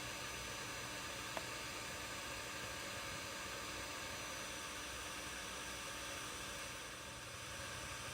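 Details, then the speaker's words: Omnicharge 20 power banks charging in a hot basement with heater on, units around 36–42 °C; small fans scream with a loud, even, high airy whoosh like a jet, cooling fans running at high speed from heat. "They're getting hot. It is quite hot in my basement right now because I have the heater on blast. But these things are loud."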